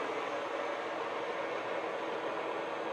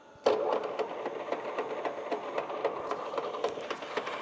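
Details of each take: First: Used industrial lathe bought unseen at auction, spindle run at 630 RPM in the high range (630 to 1,800), after the low range at 220 RPM sounded horrible. A steady, even whir with no knocking, clicking or grinding; normal spindle run. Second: Used industrial lathe bought at auction, 154–440 range at 220 RPM: rough, uneven clattering knock about twice a second from headstock gearing; all gears in this range bad, 630–1,800 range and 260 fine.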